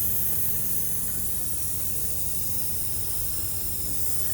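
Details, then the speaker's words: Polaris Trail Boss 350 quad, hot after hard riding: steady hiss and spray over low engine rumble; coolant shooting out around the short front hose elbow into the head, believed split. "it looks like it's shooting out around side the hose I think it's split yeah split I think so"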